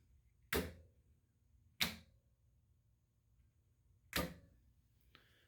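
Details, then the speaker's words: Homebrew brewing control panel on first power-up: three crisp, separate clicks over a quiet hum as the heating-element relays pull in, with the pumps running. The switching sounds normal; the elements themselves are not yet tested. "I assume they're working I can hear the relays clicking in just got to actually plug things up and try it out"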